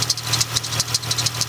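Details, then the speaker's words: Chrysler 300 being repaired for overheating, idling after refilling coolant and JB Weld leak repair, no leaks: quick sharp ticking chirp about six per second over steady idle; owner says one pulley is noisy, not yet diagnosed. "One of these pulley is making a bit of a noise, so that's going to have to be looked at."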